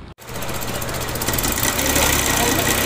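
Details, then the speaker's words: Suzuki FX car at idle; buzzy metallic rattle about three per second, not the alternator bearing: the alternator (generator) mounting bracket was loose; loose alternator bracket rattle. "ये आवाज़ आपने सुन ली होगी, ये आवाज़ generator के bearing की नहीं है।"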